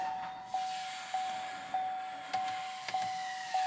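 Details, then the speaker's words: 3.0 Duramax diesel (LM2/LZ0) after fuel filter replacement, start button held for 2 minutes: steady high hum pulsing about 100 times a minute, electric fuel pump priming and filling filter housing; normal. "you can hear the pump priming right now and they want you to let it go for 2 minutes"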